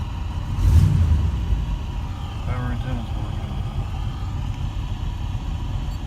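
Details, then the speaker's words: 1985 Oldsmobile Cutlass 442 after a starter replacement (the old gear failed to retract and kept hitting the flywheel): a brief crank, then the engine fires into a low, steady rumble with no starter-gear grinding; the new starter engages normally. "Now I can lower it and start it. Now I'm going to start it up, see if it's making any noise."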